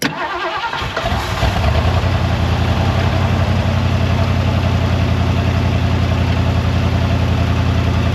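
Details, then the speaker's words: 1973 Mercury Montego GT, 400 cubic inch Ford V8, C6 transmission, sat ten years, first start with temporary air filter: cranks, catches quickly and settles to a steady, even idle, no knocks or misses; oil pressure good. "hell yeah out sitting there idling we just bought us a good one folks"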